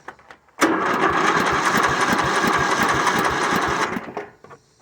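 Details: Riding mower with its original engine reinstalled, which earlier made a ratcheting noise, and a new belt; it catches at once and runs about three seconds with a steady, even beat before shutting down; normal start and run.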